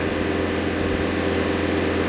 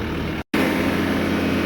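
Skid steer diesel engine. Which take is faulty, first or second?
second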